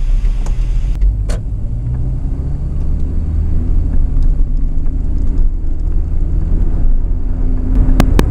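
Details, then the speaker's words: Volvo 240 2.3 petrol non-turbo after replacing worn plugs, wires, distributor cap and rotor: even low engine hum holding a steady note with no misses or shake, just handling clicks; runs smoother. "Almost always feels a bit better when you have done something, but I think it feels a bit more smooth in the engine. And it wouldn't surprise me because it was worn out, that's for sure."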